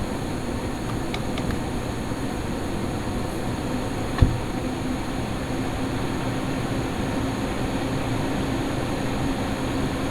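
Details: Lian-Li O11D Mini PC with XPG Vento Gentle Typhoon case fans capped at 1900 rpm, after a duct-tape mod, mic position unchanged: steady even fan rush with only a faint hum. The earlier howling is minimized and the fans sound healthy.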